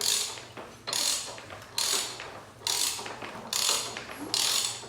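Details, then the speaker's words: Barn-find flathead engine, reused re-terminated copper-core plug wires, new spark plugs, distributor refitted with correct-length bolts: sharp crisp snaps about once a second at the plug lead with quiet gaps, confirming good strong spark before cranking. "There it is. There it is again. All right, so we got good spark."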